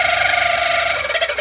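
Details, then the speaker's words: 1981 Kenmore Cool N Lite (GE Carry Cool) window air conditioner, fan spinning up before oiling: steady wavering squeal, then stuttering as it slows; dry fan motor bearing needs lubricating, bearings not loose. "sounds nasty needs a good lubricating as I expected better than loose bearings though"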